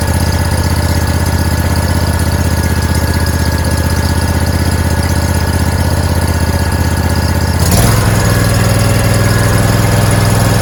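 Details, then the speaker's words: Hot water pressure washer's engine, started with throttle and choke after the new timer and igniter were installed, before the belts go on, catches and runs steady and even with a slight pitch change, no knocks or misses; the motor is good to go. "So the motor's good to go."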